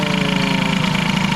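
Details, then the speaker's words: Air-cooled hybrid Peugeot 103 with Airsal 65 during carb tuning: lumpy, pulsing idle with faint stumbles; the owner suspects a slight ignition fault and may try another original part or an engine-to-frame ground. "tout ça donc bref ouais au niveau de l'allumage il a l'air d'avoir une petite vignette donc écoutez je ne sais pas j'ai un autre accord d'origine qui traîne"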